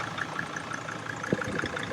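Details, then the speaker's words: 2006 Sprinter 3500 camper van diesel, missing its harmonic balancer, with oil leaking near the dipstick: faint light ticking or spritzing, several per second, over a steady idle; cause unconfirmed. "Someone's like ticking or spritzing. In there or down there?"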